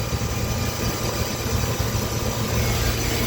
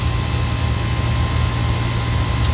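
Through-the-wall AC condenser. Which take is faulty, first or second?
first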